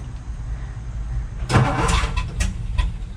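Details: 1962 Ford F-350 off the road 24 years, manual, runs on about half choke: slow uneven starter churning with one brief flare-up that nearly catches and dies; cranks but won't start.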